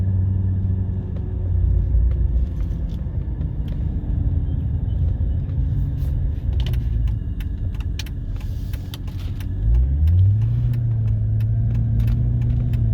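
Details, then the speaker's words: 2008 Mercedes S63, 64,000 km, while driving: deep droning whine climbing in pitch with speed, from the tandem hydraulic pump serving power steering and suspension; transmission ruled out. Hydraulic pump whine. "the sound that you hear it was from the pump that's why it was making because it has double pump it's one pump for the power steering and one pump for the suspension"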